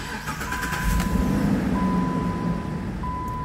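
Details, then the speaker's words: 2011 Jeep Liberty with an intermittent hot no-crank, after the ignition switch was replaced. Battery stays near 12 V, dipping to 10 V while cranking. A brief crank, then a smooth low rumble with the dash chime. Normal crank and start. "y le voy a dar arranque y casi no se pierden los 12 vos baja a 10 vol que es el voltaje de batería"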